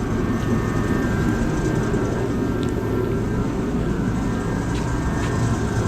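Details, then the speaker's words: USI combo vending machine model 3155 after replacing the compressor start capacitor: steady even low hum, no more start attempts, compressor running normally and cooling. "now we waiting to see if the inside and the evaporator in here get cold I don't hear it making that noise attempting to start"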